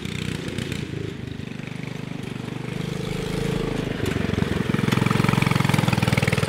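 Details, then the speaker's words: Subaru Robin 9hp single-cylinder on a Yerf Dog off-road go-kart, just fitted 26mm Mikuni carburetor, warming up: uneven thumping near three beats a second, loping, spinning and sputtering as if lean, before needle clip lowered; rough idle. "yeah so it's spinning and sputtering acting like it's a lean"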